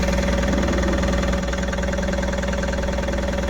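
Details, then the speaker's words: Tata Ace Gold BS6 diesel after repairing a crank-no-start: starts and idles steadily with an even low thump about four per second, no misses or knocks; crank sensor code now in history. "और self मारेंगे और देखेंगे हमारी गाड़ी चालू होती है क्या य देख सते गाड़ी हमारी चालू हो गई है देख सकते हो"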